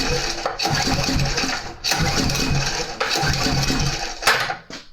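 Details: Troy-Bilt Super Bronco CRT rear-tine tiller overhead-valve engine, new spark plug, rewind missing: pull-start spins fast and free with no compression resistance; compression gauge reads zero, valves suspected.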